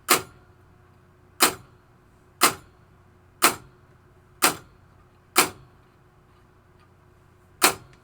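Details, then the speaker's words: 1973 Williams Travel Time pinball clock pulse unit, potentiometer turned down: crisp single clicks about once a second with one longer gap; clock pulse set too slow. "See how slow it is now?"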